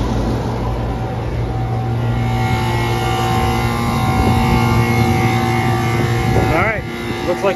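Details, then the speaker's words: York rooftop unit that had been tripping its breaker, after repair, running first then second cooling stage, with a delay that may be five minutes: steady low hum with an even fan rush and no rattles or grinding. Normal cooling operation. "probably have a five minute delay going on person's second station running first stage and there goes the second stage officer Motors are working"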